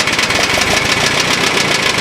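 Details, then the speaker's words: Ford engine barely running: rough, uneven idle with a light, fast metallic tapping on top; sounds like rod knock but judged a tapping noise rather than a bottom-end knock. "um yeah i know it sounds like a rod knock but it's tapping noise"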